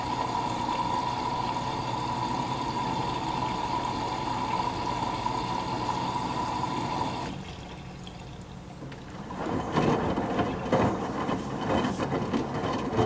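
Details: Midea HealthGuard Smart 13kg (MF200) washer on Cama e Banho cycle, white cotton load, glass about 51.8°C: steady water rush, short lull, then sloshing and tumbling begin as main wash starts, display past 1 hour; normal fill and wash.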